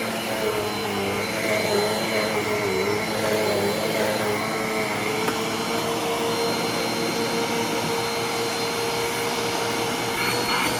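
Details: Eureka Airspeed upright vacuum, a cheap curb find, after clearing a clog and fix-up: steady, even motor whine with smooth airflow rush, no rattles, pitch changes or dropouts; running healthy.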